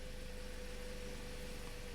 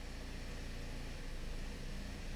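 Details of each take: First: 2009 Toyota Corolla 1.8L at idle after replacing the cylinder 2 ignition coil for code P0302. Steady, unbroken beat with no skips. Misfire counts are back to zero, so the fix is confirmed. Normal idle. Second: 2009 Toyota Corolla 1.8L with P0302 and a flashing check engine light, idling in closed loop. Quiet idle with an uneven, stumbling beat that drops pulses. Cylinder 2 misfire counts and high negative short-term trims point to the ignition side. Ignition coil misfire.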